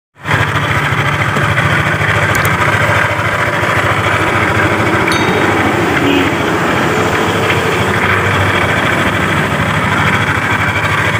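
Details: Yamaha Aerox scooter idling, loud rough rapid knocking rattle around the CVT case and primary pulley; diagnosed as worn connecting rod big end and crankshaft bearing, parts to be replaced.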